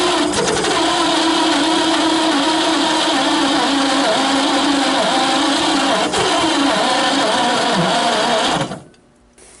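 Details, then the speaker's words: 1928 Franklin, 71 years off the road, first start attempt with makeshift plug wires and a loose carburetor: starter cranks evenly at about four turns a second but the engine never catches. Owner suspects valves not seating or mouse-blocked exhaust. "She's trying hard, Charlie. It's close."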